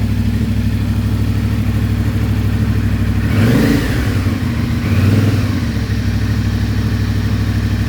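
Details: CFMOTO IBEX 450, warmed to 180, cruise control holding about 3500–4000 RPM before the ECU tune: engine swells and drops in loudness instead of holding even, surging between 3500 and 5500 RPM from the stock fuel map.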